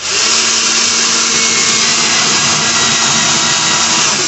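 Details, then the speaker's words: Boat with 2020 Suzuki 250 outboard, trim tabs after one actuator replaced: loud, steady high electric whine holding about four seconds without stalling as both tabs retract normally. "we had to get one new actuator we're gonna see if this see if it works back up here right all right go ahead and hit both of them oh yeah they both work"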